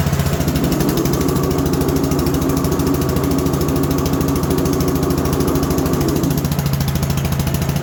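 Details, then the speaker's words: Cold single-cylinder garden tractor engine after engine fix, tune, deck and drive belt repairs; fires up and settles into a steady, even thumping beat with no knocks, misses or rattles: normal running. "Let me fire it up and run it, and we'll see how it sounds now that everything's been all fixed up and adjusted and put together."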